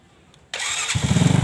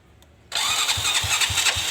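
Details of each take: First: Motorcycle electric start after repairing a fault where the starter spun but the engine wouldn't fire: a short starter whirr, then it catches at once and settles into a steady, even idle; normal start. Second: Motorcycle with new battery and working starter, which engages, starts easily by kick but not by electric start: two bursts of starter cranking with even compression pulses about four a second, engine never catches.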